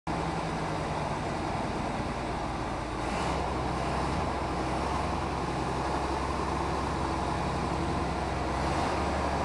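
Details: Mercedes O302 coach in perfect mechanical condition: steady low diesel drone with an even beat, no knocks or rattles, over light traffic. Healthy running.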